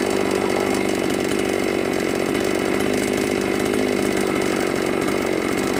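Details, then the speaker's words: New Magnum G11 chainsaw after the carburettor throat restrictor was removed holds a high, steady scream at full throttle without bogging or stalling; it now revs cleanly, fixing the earlier bog and stall on throttle. "Daเรียบร้อยเรียบร้อยครับใช้งานบกได้ปกติแก้ไขเครื่องไหมไม่มีแรงg11"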